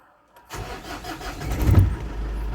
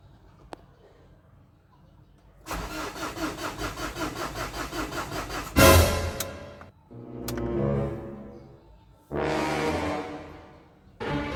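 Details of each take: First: 2007 Ford Everest Gen2 common-rail diesel after the crank-but-won't-start fault was fixed: catches quickly, revs briefly, then settles into a steady even idle with normal clatter. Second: 2007 Ford Everest Gen 2 common-rail diesel: cranks with a steady rapid chug but never starts; the problem was later fixed, apparently sensor-related.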